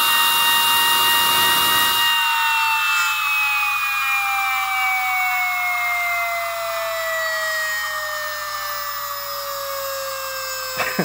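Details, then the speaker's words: Small model turbine run on compressed air, compressor switched off: clean high whine with even overtones slowly dropping in pitch as it spins freely, no rubbing or rattle; healthy. "i shut the compressor off for this one because i do not want you to be distracted from the sound of this beautiful turbine"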